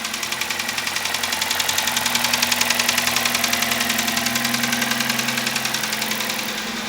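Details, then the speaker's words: Kia Rio G4FC, about 200,000 km mileage, cylinder damaged by failed spark plug, at idle: loud, very regular hard mechanical knock about twice a second; oil consumption has appeared, engine to be disassembled. "слышите у дает вот звук звук очень сильный очень неприятный и расход масла появился"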